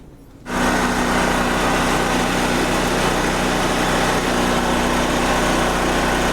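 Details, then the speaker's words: Wen Power Pro 3500 watt generator, revived after about 15 years sitting, loaded to about 3,050 watts at 58 Hz: steady even drone holding speed, no misses or knocks; healthy running under heavy load. "So now I'm going to fire it up and we'll slowly load it up and see what the voltage drop is."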